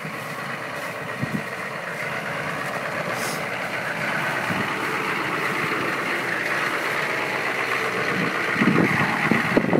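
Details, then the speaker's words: 1996 GMC 2500HD 6.5L turbo diesel idling rough during warm-up: loud, steady clatter with an uneven, lumpy beat, caused by air left in the fuel system after running very low on fuel. "that idle thing because I don't have it all purged and it's really low on fuel to try and change the tank back to the large style one"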